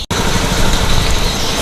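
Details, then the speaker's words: Honda Beat scooter, warning light blinking seven times, hard to start: on throttle the engine sputters and stumbles with rough uneven misfire and stalls when opened quickly or ridden. "nah ini digas mau mati ini kalau saya tarik gas e langsung spontan atau dipakai jalan itu mati motornya nah nah ini grebet grepet grebet kayak gini nah ini kalau saya paksain mati dia"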